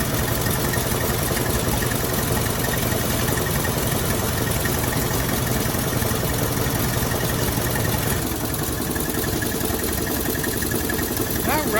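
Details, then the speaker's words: 1957 Chevrolet Bel Air, first drive in 30 years, warming up: steady V8 idle with a fast sharp puffing tick; owner suspects an exhaust leak, unsure if knock or rattle. "Stupid exhaust leak. I don't know if that's a knock or not, or if something's just rattling."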